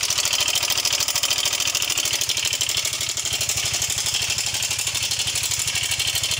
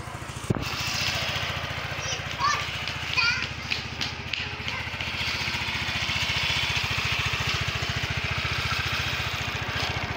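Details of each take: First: Yamaha Mio 125 (M3) idling with rough engine noise: fast, dry, rattly ticking from the top end, a weak cam chain tensioner; oil level found fine. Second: Yamaha Mio 125 (Mio M3) single-cylinder scooter after a new original cam chain tensioner replaced the faulty one that caused a rattling noise: steady, even low-thump idle with no rattle or ticking.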